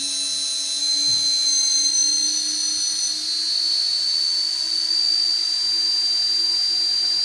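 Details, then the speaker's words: Bench test of a UBAD Inversion DX 250 quadcopter, T-Motor 2206 2000KV motors, UBAD 20A ESCs, DAL 6040 props, all four motors at full throttle on battery: high steady whine, no wavering or grinding; motors and props sound healthy. "we are maxing out at 180 it's really quite testing it sounds just like some jet engine in the murders of really responsive"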